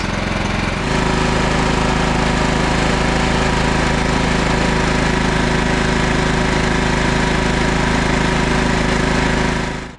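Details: 2001 John Deere LT133 lawn tractor, 13 hp single-cylinder Command engine, test run after the charging system was repaired (voltage regulator and stator): a steady, even chug at constant speed with no stumbles or knocks; healthy.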